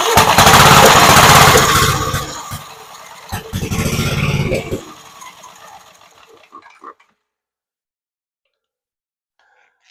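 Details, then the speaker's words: Gravely Model L garden tractor with Jenkins overhead-valve conversion, starting spray into carburetor, choke open, throttle midway: catches in a loud rough burst for a couple of seconds, then dies; fires on sprayed fuel, so ignition works. "Okay, well, we do know we'll fire up. So the next thing to do, put some gasoline in it, see if I've got to clean the carburetor or not."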